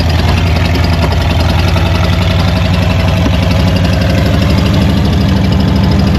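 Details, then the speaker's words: Old Ford truck after rubber fuel line and filter fitted, a fuel leak showing: fires up with a deep, steady low rumble, even firing, no knocks or misses; running normally. "Fire it up. We got a fuel leak. Oh, she's talking to us."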